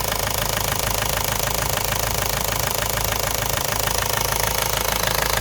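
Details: Ford Focus mk1 1.8 TDDi diesel idling with a sharp, very regular knock of about three per second, locked to engine speed and above the diesel clatter; the knock was later solved.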